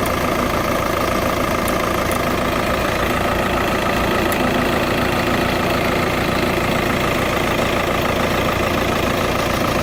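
Diesel idling with a light, fairly quick tick riding over the clatter, about three per second; source not pinned down.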